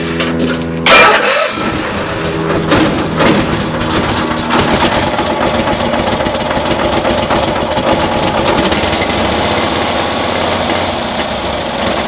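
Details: 1972 Cushman Truckster pickup, new carburetor and vacuum manifold fitted but same issue: fires up and runs, beat turns ragged with skipped pulses as revved, appearing to misfire as rpm increases; idles better now; spark then compression to be checked, owner suspects timing.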